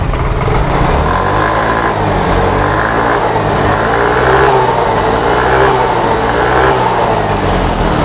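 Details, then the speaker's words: Yamaha Mio J/M3 scooter that stumbled despite good fuel pump pressure, plug, plug cap and no MIL codes, after fitting a new injector nozzle: steady even idle, clean revs, no stumbling or misfire; normal idle, fault was the damaged nozzle. "oke ya mantap mantap sekali dan motor sudah langsam Nah ini ya tidak terdengar brebet-brebet lagi nah ini ya"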